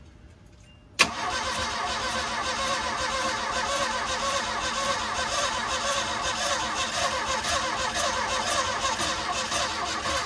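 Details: 1977 Mustang II, sitting 25 years, starter churns steadily about ten seconds with uneven catches that never take hold; cranking without starting, battery on charger.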